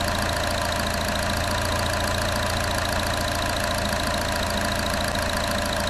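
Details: 1.4L turbo engine in a 2014 Chevy Cruze, just fired up after engine replacement: steady, even idle with a smooth low hum, sounds like a low-mileage engine except a slight belt squeak expected to fade as it warms; normal idle.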